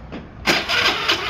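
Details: Honda Activa scooter brought in for not starting; the CDI was checked and has failed: starter whirs with quick, even compression pulses but the engine never catches, no spark from the dead CDI.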